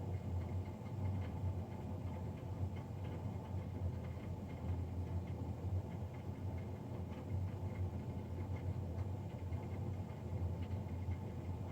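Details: Navien NCB-240 boiler recorded Feb 3, 2020, three days after a Jan 31 service: low continuous rumbling hum with slightly rough flutter, no rising pitch; combustion fan noticeably louder than normal.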